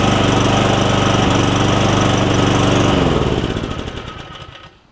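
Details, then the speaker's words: Cub Cadet SR621 push mower with a Kawasaki engine, after a carburetor replacement and with fresh gas, not run in a while: an even single-cylinder beat runs steady, then winds down at shutoff; it runs well, though the shutoff is a bit wonky. "Seems like it runs pretty good. It hasn't run in a while because I can smell the rust smell, and it looks like that the shut off is a little bit wonky."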